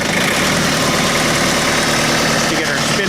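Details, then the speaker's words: Tractor diesel at about minus 25°C, just started and warming up, having dropped from high idle to lower idle: hard, clattery idle holding a steady beat with a busy rattle on top; normal cold diesel idle. "oh man I just turned the camera off and it went from the high idle down to the lower idle really"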